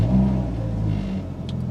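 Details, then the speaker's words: Audi TT MK1, 1.8T AWP turbo engine, 5-speed manual, running cold: revved moderately to about 2,000 rpm and settling back, smooth and even with no knocks or rattles. "only going up to 2,000 rpm because they don't want to kill the car actually it sounds fine"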